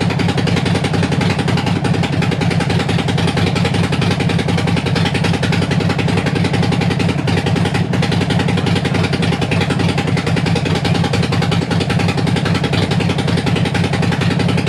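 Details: Harley-Davidson Sportster after 1900 miles in four days, warming up before gasket change: fast sharp ticking on lumpy V-twin idle in time with firing, "like a bag of spanners"; exhaust leak at front header gasket.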